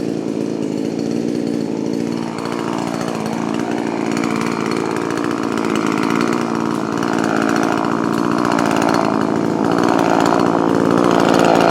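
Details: Poulan Pro 4620 chainsaw, owned since 2002, fresh new piston and run rich and easy for break-in, worn chain, cutting wood: smooth, steady buzz that rises slightly under load with no misses or sputtering; running healthy.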